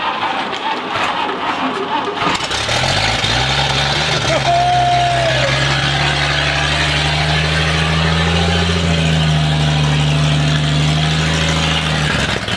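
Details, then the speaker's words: 1959 Chevrolet Apache, sat 40+ years: engine cranks, catches and runs briefly at a low uneven beat, then dies; suspected lack of constant fuel flow; engine fires but will not keep running. "but it just ain't gonna do it well i think it might do it with uh maybe some you had some constant flow of gas to it i can't believe it fired up"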